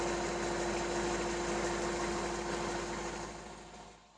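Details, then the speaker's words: Hyundai 30L-7M forklift with a GM 3.0L engine after the fuel pressure regulator fault code was cleared, still in open loop: steady, even idle with a constant low drone and no misses; now runs much smoother, though the harness short to ground is still to be found. "a good indication though is that we don't have an active Vault anymore and it is running much smoother than it was before as you can see doesn't shake as much anymore"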